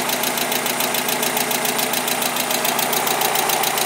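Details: Mazda Miata started after sitting for months (previously cranked but wouldn't start): steady idle with a regular tick-knock three or four times a second alongside an electrical noise; cause not pinned down, father thinks it needs a new engine.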